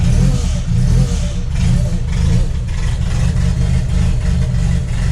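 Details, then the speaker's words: Chevette OHC engine with adapted supercharger, about 1 bar boost, timing set near zero or negative at idle, cold: rough lumpy note with sharp spits on throttle; sounds like the compressor leaking. "Vamos lá. Carro espirrando aí, ó."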